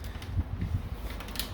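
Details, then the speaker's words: Bicycle rear derailleur after setting the high limit screw for the small cog: chain spins nice and quiet with a soft low whir and light ticks, no longer jumping off; normal drivetrain after tuning. "gonna spin it up again now it's nice and quiet and it's not jumping off"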